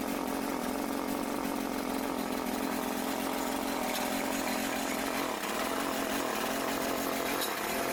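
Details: Troy-Bilt TB554 lawn edger's small single-cylinder engine just started after belt replacement (35.75-inch belt), buzzing along at a steady, even speed with no misses, surging or belt squeal; runs smoothly.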